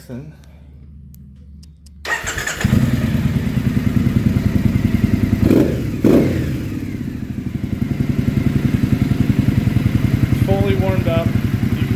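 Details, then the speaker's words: 2015 Triumph Speedmaster EFI twin, warm after a ride, idling after AIR system removal: even, loping idle with steady exhaust pulses and no popping or crackle on deceleration; running cleanly, no check engine light. "it's weird how different it sounds without all the popping"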